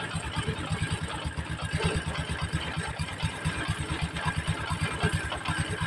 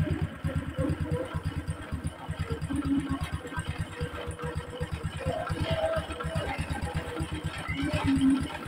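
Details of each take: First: Honda Supra X 125 at idle after new clutch bell and centrifugal clutch shoes: loose uneven clattering about two knocks a second from clutch area; rough clutch-side rattle. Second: Honda Supra X 125 after replacing clutch bell and centrifugal clutch shoes, tappet cover refitted and oil refilled: quick even idle putter, no knocks or clatter; smoother than before, normal idle.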